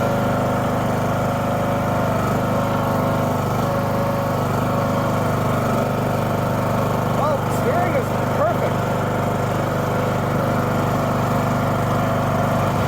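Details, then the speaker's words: Husqvarna LTH 18538 riding mower after steering rack and shaft overhaul, started in the yard: steady even single-cylinder drone, no knocks or misses; steering, blades and clutch all work, normal running. "There she is. Steering works just fine. Blades work just fine. Clutch engages, disengages. Not a thing wrong with it."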